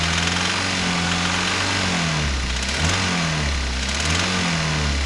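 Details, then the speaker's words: Daihatsu Terios with a timing chain bought online, revving up and down: dry metallic rattle riding over the running note; timing chain rattle. "just a quickie on the tereos um timing chain rattle have a listen and see what you think"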